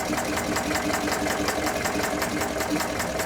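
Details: Chinese-built true mini diesel engine under test; fast even chattering beat with a high buzzy firing note holding steady, running properly.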